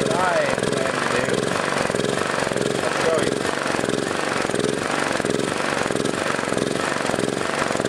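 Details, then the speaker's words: Generator (used for welding) sat about 3 years, started with old original carburetor, before tri-fuel carb swap: speed rises and falls once or twice a second, never settling; engine surging. "However, I haven't used it for quite a while now, and now when you start it up, surges, you know, and I'll show you that."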